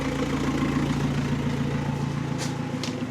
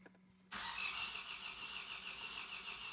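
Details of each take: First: Astra after a scrapyard diesel engine swap, first run with no exhaust fitted: the diesel clatters at an even idle with a loud open-exhaust rasp and no knocking heard; normal idle. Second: Vauxhall Astra after engine swap and new oil, first crank with injectors unplugged: steady starter churn with uneven beats about three a second, no firing; crank no start with injectors disconnected.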